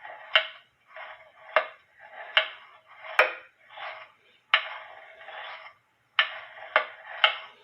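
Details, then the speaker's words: Eli Terry wooden groaner clock movement on the stand, heard through a beat amplifier: sharp wooden ticks with uneven tick-tock spacing; out of beat, leader wire touching the foot's left side, so the crutch must be bent left. "I'm going to move the leader wire, and I want you to listen for the tick-tocks. There's one there, and one over here."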